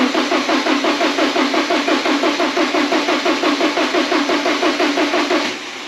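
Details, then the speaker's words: 1985.5 Porsche 944 non-turbo, sat unused for years: starter turns engine evenly about three pulses per second with no firing, tachometer not moving; owner suspects failed crank reference sensors, planned replacement; crank no start. "So as you can see, she cranks, but we don't get any fires. We don't get any engine. There's no hiccups. There's nothing."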